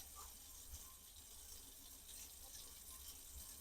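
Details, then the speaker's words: Household well after fixing the pressure tank, which had made the tap flow surge and pulse for weeks: smooth, even rush of water from the indoor faucet with no surging; steady stream and good tank pressure. "so before the water stream would be like getting bigger and smaller it was like pulsing now we've got a steady stream the pressure was good in the tank"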